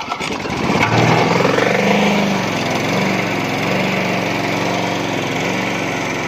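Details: Briggs and Stratton lawnmower engine on its first start of 2023, unstarted over 6 months, still on last summer's fuel. Catches and settles into a steady, even drone with no misses or surging. Normal running.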